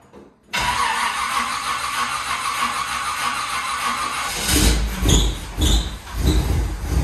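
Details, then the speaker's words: C5 Corvette with LS engine, cold start before winter storage: starter catches quickly, V8 flares then settles into strong even fast idle with deep steady burble; normal cold start. "nothing like a cold start on a Camp LS. Makes my heart happy."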